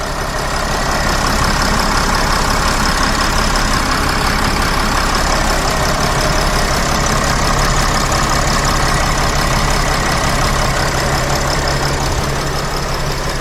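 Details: Mercedes Sprinter van, 3.0L diesel, after oil cooler replacement with all gaskets and O-rings renewed and bolts torqued. Steady, even idle clatter with no knocks or hunting; no dash warning lights, fixed and running well.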